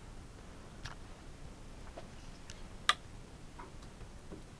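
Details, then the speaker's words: Samsung PS43D450 43-inch plasma TV, no power, blinking red LED, clicking on and off: faint irregular ticking from the power supply transformer, suspected shorted Y-main sustain board; ticking stops when Y-main and X-main are unplugged. "You can hear a kind of ticking sound from the transformer which indicates to me one of the sustain boards is most likely short."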